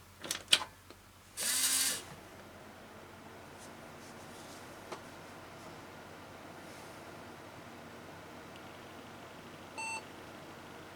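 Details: Windows 98 build PC powered on just after a new CMOS/BIOS coin battery was fitted: a burst of fan whoosh, then a single short beep after some quiet. This is a normal POST pass, followed by a CMOS checksum error and defaults loaded.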